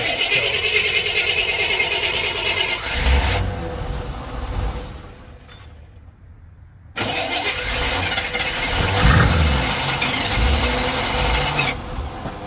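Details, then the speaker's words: Old Chevy pickup plow truck at first start in years, fuel tank selector switched to left tank, electric fuel pumps running: engine runs rough on its own fuel, then cleanly shuts off. Owner suspects it is dropping spark rather than fuel, because fuel loss usually stumbles to a stop. "sounds more like a clean shut off to me like it's dropping spark usually when they drop fuel kind of stumbles to a stop"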